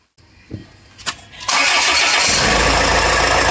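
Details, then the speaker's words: Land Rover Freelander engine started with the accessory belt off: a short crank, then a clean, even idle with no squeal or rattle. This confirms the noise came from the belt and its worn, slack tensioner, not the engine or timing. "तो यह है इस से की पुष्टि बात यह है कि इंजन का आवाज थी, यह बेल्ट है। और इस तनाव बैंड के कारण।"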